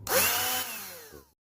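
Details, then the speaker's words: Battery-powered jet cleaner (Reaim) that would not run or pump water despite a charged battery. Its electric motor is checked before repair. Clean rising whine, then a smooth wind-down to silence with no scraping or rattle. Motor judged still good. "Oh, ada ya teman-teman. Tuh lihat untuk dinamonya masih bagus teman-teman."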